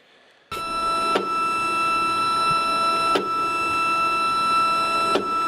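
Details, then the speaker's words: Homemade wooden tensile tester run by Arduino: steady stepper whine jolts with a sharp pulse about every two seconds because the load-cell data reading interrupts the step signal to the stepper motors. "And it finally came down to, I figured out that the data path to send the signal to the stepper motors on the Arduino gets interrupted by the data path reading the output from the load cell."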